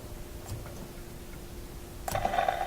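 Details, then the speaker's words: Westinghouse 1398 AM/SW/FM tube radio on current limiter at about 90 V (85% line voltage) after a switch shorted: speaker hum with irregular ticks and pops, then harsh buzz; visible sparking, suspected arcing at the switch. "oh you know what I could see a bit of sparking there again oh still popping in there"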